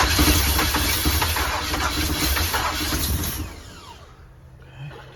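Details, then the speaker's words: 454 big-block V8 RV, first start after priming the fuel pump and fitting plug wires and vacuum lines, on a cold 27° day. Labored, uneven cranking fires roughly for a few seconds then drops away; hard start from ignition timing too far advanced. "okay where we're at on timing that's definitely too far Advanced"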